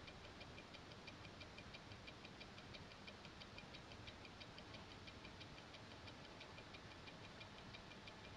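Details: Invicta 8926OB watch with Seiko NH35A automatic movement: crisp, even fast ticking over faint hiss; movement running normally.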